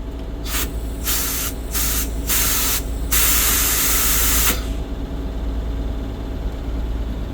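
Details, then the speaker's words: Bus parking brake: several short air hisses, then one long steady blast of about a second and a half, as the parking brake valve has a bad spot and sometimes won't release or re-engages with light lift. "a bad spot in it as you can hear see sometimes it won't let me release it"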